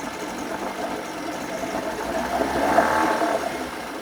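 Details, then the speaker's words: 1980 Chrysler Sea King 15 hp two-stroke outboard, cold, after replacing ignition coil to cure quarter-to-three-quarter throttle misfire: steady buzz picking up smoothly with a little throttle, no skipping; runs clean, responsive, no hesitation. "I think I fixed it. It's really responsive. There's no hesitation. I think this is it."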